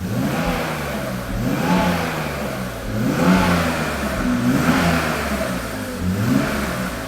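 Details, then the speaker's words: BMW Alpina B10 Biturbo E34 after fixing two large vacuum leaks, valves in spec: clean free-revving blips rising and falling smoothly, cold-start stumble gone, valve train virtually silent. "And it lost that stumble. It had that cold start like stutter and it's it's gone. It's cured, which makes sense cuz now we have fixed two massive vacuum leaks."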